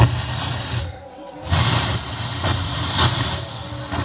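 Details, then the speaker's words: Yamaha PSR-S750 keyboard, failed mid-parade while powered by an unstable diesel generator: loud, constant rushing roar with a brief dip and no notes coming out; owner blames unstable voltage, audio fault. "Ya, suaranya sangat berisik. Ya, jadi dipakai karnaval kemarin, terus di tengah-tengah perjalanan itu rusak, suaranya nggak keluar, hanya muncul suara seperti itu."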